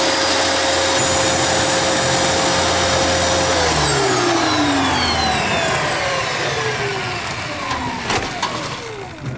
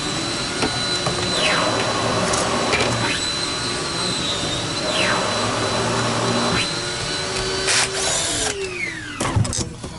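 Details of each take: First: Dyson DC28 vacuum tested after a service: steady high motor whine with airflow rush, sounding slightly rough, then spins down smoothly when switched off; runs normally. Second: Dyson DC28 with the cleaner head flat on the floor: rough, unsteady whine whose pitch sags and recovers as the motor is dying.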